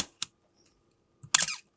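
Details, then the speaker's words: Canon A-1 at 1/1000 s shutter speed, mirror box gears still under repair: two crisp shutter clicks then a raspy, squeaky firing, the "Canon cough" from dry mirror box gears needing lubrication. "So it's 1,000th of a second in this case, because the faster those gears work, the more you're gonna hear the squeal."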